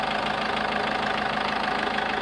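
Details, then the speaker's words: SsangYong Actyon 2.0 diesel with Mercedes-type engine, brought in for a check-engine light and noise. Idling after work while waiting for it to reach temperature; light, even clatter with no misses or hard knocks, running fine. "aí olha só o funcionamento perfeito estado graças ao meu bom Deus né"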